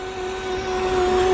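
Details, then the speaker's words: Mercedes CLS, very low on fuel, just started on a good battery, running rough: steady mid-pitched whine over the idle, creeping up slightly; owner suspects the air suspension compressor. "Yeah, she's not running the best, guys. I hear it by the exhaust. And this could be honestly a air suspension compressor."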